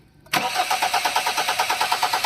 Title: Hyundai Tucson Engine crank but wont Start- Step by Step Diagnosing